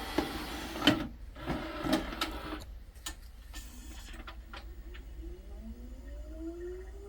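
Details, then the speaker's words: Laserdisc player after inside cleaning, dent work and reassembly; after a few handling clunks it spins up quietly with a smoothly rising tone and no scraping, and the earlier horrible noise is gone; normal disc spin. "And it did. All you can hear is just a regular spinning."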